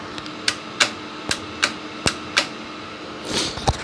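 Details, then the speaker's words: DIY 24V lead-acid battery charger, unloaded about 32 V output, switched on: sharp dry clicks of the contactor pulling in over a faint steady cooling-fan hum; normal. "cooling fan is the same as last time and now when you turn it on you hear a click of the contactor can you hear"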